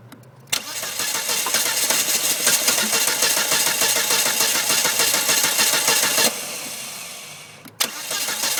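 Starter churns steadily, about three turns a second, for over five seconds without catching, then cuts out: a hard-starting engine.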